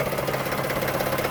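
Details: Toyota Sienna at idle: fast, light, regular ticking over a steady idle; suspected top end or a pulley, not confirmed.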